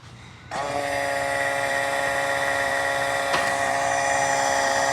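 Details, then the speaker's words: Boat engine being readied for first start after reassembly: steady electric whine with even pitch, no grinding or stutter, as the oil pump is actuated and primes normally; oil confirmed pumping after a couple of tries. "okay we got [Applause] oil we got oil so we know it's pumping oil now"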